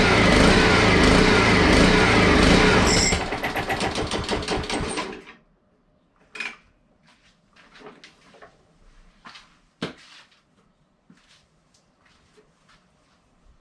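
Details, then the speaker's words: Honda HRX217 lawn mower with three gaskets stacked between air filter and carburetor: pull-started, runs rough and surging a few seconds, sags and quits; carburetor problem. "so obviously there's a few cart problems but the wheels do work based on the front video or the video before this so i'm always happy with that this isn't a car cleaning video by any means so i'm just going to work on the car a little more stuff have it stop surging"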